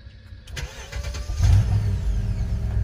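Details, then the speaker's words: 2006 BMW X5 4.4L N62 after a cranks-no-start blamed on fuel pump, vehicle run almost dry: short crank catches quickly into a deep steady idle; running again, fuel pump replacement still ordered. "here we go it's running well"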